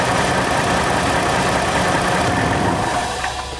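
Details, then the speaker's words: 2010 Toyota 4Runner with 200K miles, idling in Drive at lowered RPM: low steady idle with a faint light rattle; ordinary timing chain noise, nothing broken. "so right now you can just barely hear it and it sounds like like a chain like a timing chain noise"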